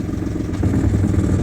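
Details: Boat inboard engine after broken shift cable replaced with new cable and homemade stop shift collar, running in reverse under light load; low steady rumble with no clunks or grinding; drive engages and runs normally.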